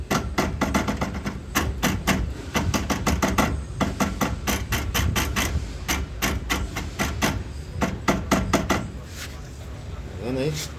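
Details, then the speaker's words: Fiat Palio front right wheel: sharp metallic clunks in quick bursts as the driveshaft is worked back and forth, from worn splines with play inside the CV joint. "ess semieixo tá com a folga dentro da da mocinética da junta ciné E aí ó o barulho"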